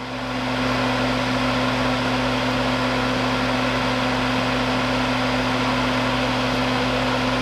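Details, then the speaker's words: Panasonic 3DO FZ-10 laser-sled motor that was suspected seized, powered directly from a 9 V battery: it spins up and holds a steady, even hum with no stalling or grinding; the motor works. "boom and that moves so that's good we're going to do the same thing in Reverse [Music] all right so motor works"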